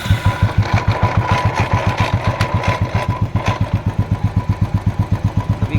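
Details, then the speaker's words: Royal Enfield Classic 350cc single-cylinder idling with a slow thump and uneven metallic rattle that comes and goes; engine noise traced to a broken clutch-side bearing. "इसमें problem है दोस्तों क्या जैसे engine बहुत ज्यादा आवाज कर रहा है दोस्तों ठीक है"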